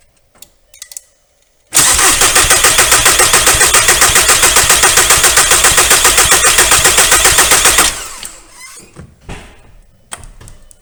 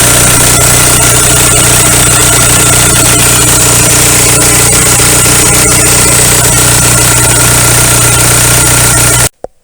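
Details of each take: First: 2001 VW Golf TDI with the ALH diesel engine, after replacing the injection pump head plug seal. Air got into the system and the pump lost its prime. Even starter cranking, about four beats a second for six seconds, never catches while the injector lines are cracked to bleed the air. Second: 2001 VW Golf TDI, ALH engine, idling after injection pump head plug seal replacement (fixing a fuel leak) and air bleeding: loud, even diesel clatter about four beats a second, steady until shut off; healthy idle.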